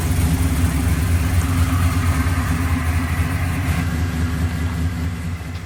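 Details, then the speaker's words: Malibu V8 idling before work on its nitrous system; loud deep steady burble with no ticks or knocks, snappy and sounding good, healthy. "Snappy, isn't it? Yeah. God, that thing sounds good."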